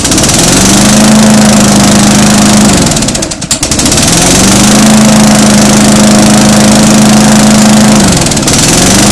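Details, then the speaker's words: Mower engine after valve lapping and reassembly with reused gasket, primed twice: better compression, one-pull start instead of 3–4; strong steady buzz at even pitch, two brief speed dips recovering quickly, fuel fully burning; normal running. "That sounds a whole lot better actually. And before it didn't start at one pull."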